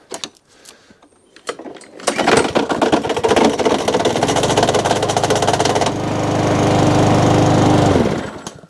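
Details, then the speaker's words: Mountfield SP454 lawn mower, unstarted about three months, drive not working: starts and runs with loud uneven clattering knock under deck; owner suspects snapped belt cover. "it's making a hell of a noise underneath i think it's just a bit bill belt covers snap they do on these generally if you hit something that's what happens"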